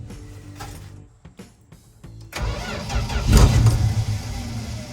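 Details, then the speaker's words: 1964 Dodge D100 truck, sitting since 1996, fed gas poured into the carburetor: broken cranking, then uneven flares before sagging; stumbles because the carburetor's accelerator pump is not working. "Well, the accelerator pump is definitely not working. Which, I mean, like, shocker, but... I gotta admit, this little Dodge truck is fighting us."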